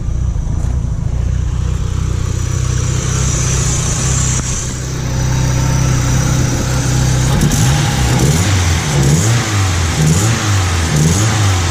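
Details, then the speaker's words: 1991 Mitsubishi Galant VR-4 with custom turbo kit (5558 Precision turbo, custom turbo manifold, E85 tune), warmed up, after cracked manifold was welded: repeated throttle blips rise and fall cleanly, no ticking or puffing; exhaust leak gone. "all right let's try this again see if I got rid of that exhaust leak [Music] that sounds way better now heck yeah"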